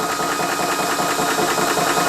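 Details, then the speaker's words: Ballistic 12V 3-stage 350 W PCP compressor under load filling a rifle from just under 2000 psi toward 3000 psi, near 2500 psi, temperature rising; fast even rattling chatter with steady high buzz, no gaps or stumbles; pumping normally. "Other thing to mention as well is you obviously can hear the noise coming from the compressor, so be prepared for a little bit of a little bit of noise"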